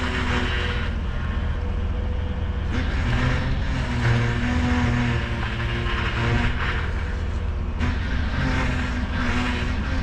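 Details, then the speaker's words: Ford F-150 with oversized power steering reservoir, running after fluid refill while cycling steering, reservoir cap open to vent air: low steady groan under engine noise, pump cavitating on air left in fluid. "Alright, so we still have a little bit of groaning from the power steering pump, but last time I did this, it took a few minutes before it stopped whining, but I'm gonna cycle it a few more times."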